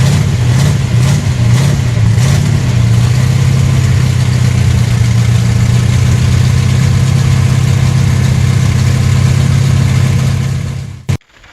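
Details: Car started on a brand-new battery (12.3 volts): brief start settles into a strong steady deep idle held evenly for ten seconds before switching off; starting and running fine.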